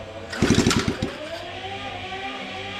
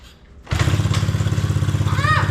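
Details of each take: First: 70/72cc Coolster pit bike, exhaust and cross bolts off, after a catastrophic flywheel case failure: three kick-over bursts with clatter, never fires; no spark, owner suspects cooked sensor/stator. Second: 70cc Coolster pit bike single-cylinder, restarted with flywheel cover off after chain-related case damage and sitting on its side: starts instantly into crisp, even putter with no rubbing or scraping; running healthy.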